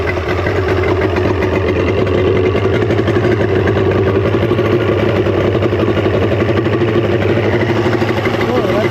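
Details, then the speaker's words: 1995 Mercury 200hp XR6 Blackmax outboard after removing the trigger and adjusting timing, charging well: steady, even idle with no stumbles or misses; runs well. "yeah I mean that sounds pretty mean to me"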